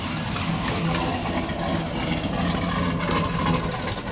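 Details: GMC Denali V8 with a BTR Stage 2 truck cam, VVT removed and rear O2 sensors deleted (codes set), first start after drivetrain reinstall: a deep, choppy loping idle with no knocks or misses, normal running with the performance cam's lope.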